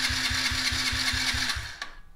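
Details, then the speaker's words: Yamaha TTR50E cranked using a Foxpeed A10 1000A jump starter, gas already changed; starter spins strongly in an even churn, about five pulses a second, never firing; cranks but won't start, owner suspects a dirty carb needing cleaning. "I think I need to take the carb off and clean it I think that's what's wrong I already changed the gas but who knows"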